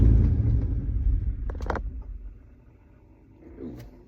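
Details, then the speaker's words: Gen 3 V8 with added electric fans, during HP Tuners idle airflow tuning (tuner suspects the idle is set too high or the fan-switching tables need updating): rumble sags and fades as revs drop and it almost dies; idle stumble, near stall. "wanted to die on that one. Okay, so it didn't really like that."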